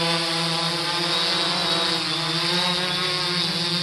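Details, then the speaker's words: 3DR Solo quadcopter in a quick flight with Emax MT2216 810KV motors replacing the OEM motors, master screw props fitted: a steady, even buzzing hum with no wavering or rattle, much quieter; normal motor hum. "can tell the sound is much much quieter"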